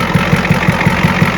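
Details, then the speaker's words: 1986 Ford F350 6.9 IDI diesel after plugging the batteries back in, one having failed its load test: fires immediately and settles into even, regular clatter about six beats a second, steady with no misses; healthy idle. "It fires immediately. Well, what do you know? It works."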